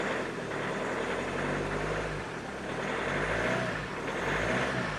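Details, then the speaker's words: Hyundai Santa Fe I 2.0 CRDi diesel after in-tank fuel pump repair (no-start, odd pump noise, weak battery): just started, steady even idle with soft rumble and gentle slow rise and fall; running smoothly and healthy. "Słychać, że pompa już inaczej chodzi. Dobra, zapalił. Jest ok."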